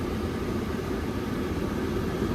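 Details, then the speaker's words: Old Rheem gas furnace after replacing a failed hot surface igniter on a no-heat call: constant low burner roar with an even blower rush once the blower starts, no rattles or squeals; normal operation. "There's the blower. So, now we got the blower."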